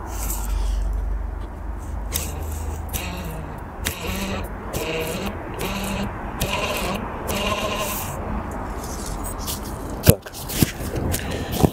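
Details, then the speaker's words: BMW X5 E53 / E39 climate control unit blower fan, removed and spun by hand: wavering bleat-like squeak rising and falling in pitch, then handling clicks; fan noisy when temperature drops, cleaned with cologne or alcohol. "вот наш вентилятор который издает звуки посторонние вот наш вентилятор крупным планом сейчас я попробую прокрутить и будет слышно как он шумит"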